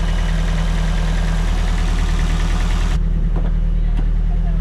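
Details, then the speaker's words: Nissan S13 with SR20 engine, first start after an engine rebuild and bay refresh (oil pressure not monitored): a steady, even idle with a low firm rumble and no knocks or ticks; normal idle. "damn that sounds sounds really good all right I'm going to kill it that's good enough for now listen to it though it sounds freaking good can't believe it's running"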